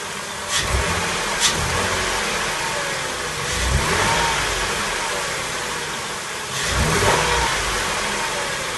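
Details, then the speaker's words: 2004 Mercury Monterey 4.2 V6 with severe rear-bank misfire on cylinders 1–3 (codes P0300–P0303, P0316, P0171, P1270), revved in bursts: stumbling with gurgling popping back through the intake; misfire damaged and clogged the catalytic converter. "Now if you listen close, I don't like what I'm hearing in the intake. Hear that little gurgling, like air coming back?"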